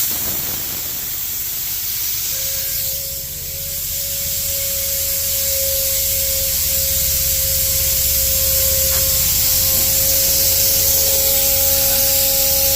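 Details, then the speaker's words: 2020 Kenworth T680 MX-13 coolant system on a venturi vacuum filler: a thin, steady whistle over the rushing hiss of air. Air leaks past the coolant relief cap so no vacuum builds; the fix is to plug off the cap. "So you hear the whiny sound from the relief cap."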